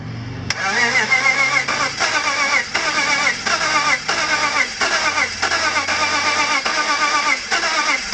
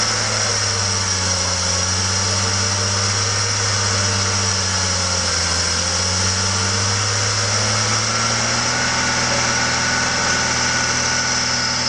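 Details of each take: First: BMW M54 engine (E46/E39) with sudden very low compression, cranked after squirting oil into the cylinders: uneven cranking about two beats a second with brief weak catches that die. Cranks but won't start. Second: BMW M54 engine (E46/E39) after curing sudden low compression, oil cap off to ease richness via PCV: steady smooth even drone with slight dip and rise in speed, no misfire or knock. Running normally again.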